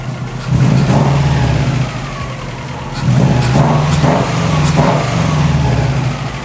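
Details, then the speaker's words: Subaru, engine rebuilt on a spare EJ207 block, started for the first time; oil pressure light off and coolant temp gauge working. Crisp rev blips with a steady idle between: normal revving, a big improvement. "Woo! It sounds good. Woo! Let's hope it boosts. Listen to that. That is like, oh my God, it's like a whole different car."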